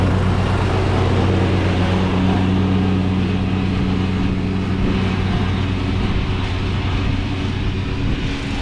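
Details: Craftsman riding mower that sat two years, after a dead battery and bad connections were fixed and the starter and carb replaced. Smooth, constant low drone without stumbling or surging, easing slightly at the end; normal running.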